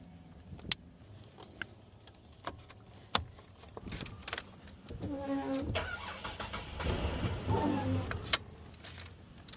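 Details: Car that needed several key turns to start because of worn ignition switch contacts, after fitting a whole new ignition switch: key and switch clicks, then the starter turns and the engine catches and settles cleanly; normal start.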